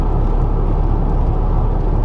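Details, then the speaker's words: Stolen, abandoned Ford F150 EcoBoost twin turbo on first road drive, brakes rusty, around 50–55 mph: heavy low droning rumble builds as it pulls, strong vibration of unclear source; vibration at speed. "yeah boy it vibrate oh my wow that"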